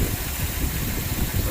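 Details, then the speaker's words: 2005 Land Rover LR3 4.4L V8, warm, idling after reseating intake boot: idle drops quickly but still uneven and lumpy, misfire remains; codes P0300, P0302-P0304, P0306, P0307; previous repair attempts failed. "oh look how quick that idle came down I should have all the pits still set up still a misfire"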